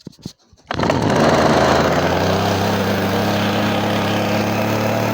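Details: Sachs-Dolmar 102 chainsaw started with choke then choke off: pull-cord rasps, then catches and settles into steady even two-stroke buzz with no misses or surging.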